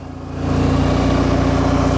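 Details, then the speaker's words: 1991 SAAB 9000 Classic Turbo CC, automatic, 223,000 on the clock, first drive after 5 years stored: rear muffler fell off, idle swells to a loud, deep, raspy unmuffled drone; loud exhaust from missing rear muffler. "took it for a drive and what do you know the rear muffler fell off so now it's got a full exhaust"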